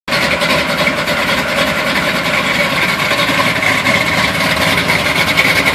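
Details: 1971 Chevy Blazer V8 on a cold start, idling unevenly with a lumpy, stumbling beat and uneven firing instead of a smooth hum; rough idle, cause not yet pinned down.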